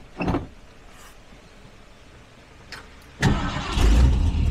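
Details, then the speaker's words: 1968 Ford Ranchero, 289 or 302 V8, long parked, bad exhaust leak, dry dirty fuel filter: brief crank, engine catches with rough burst then fades and dies; starts then stalls, cause unknown. "Oh, listen to that. Oh, we died."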